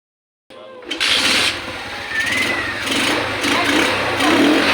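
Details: Motorcycle almost 12 years old and long stored, started after carburetor cleaned and reinstalled and fresh gasoline added: short crank, catches cleanly, revs then settles into an even steady run; normal running.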